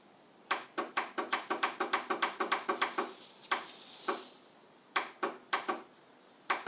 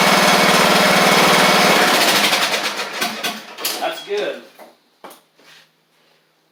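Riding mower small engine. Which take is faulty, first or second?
first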